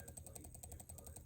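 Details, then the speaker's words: Furitek Komodo RC crawler motor spun slowly off the drivetrain at crawling-speed throttle: quiet rapid ratcheting clicks about eleven per second; owner unsure if normal or a defective motor. "this is just the motor spinning making this sound not sure what's going on if that's normal or if i got a jacked up uh komodo out of the deal"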